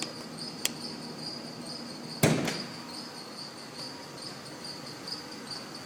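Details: Mercedes-Benz engine at morning cold start: quick, steady chirping squeak repeating over the idle with a couple of sharp knocks, disappearing after about 10 minutes; suspected weak belt tensioner or idler pulley, unconfirmed.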